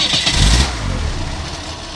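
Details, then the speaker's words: 1985 Ford Mustang notchback with original engine, revived after sitting about nine years: catches with a strong burst then settles into a steady even rumble, no knocks or misses; healthy running. "but mr. Hankey is getting close and let's see if this 85 will fire sounds healthy"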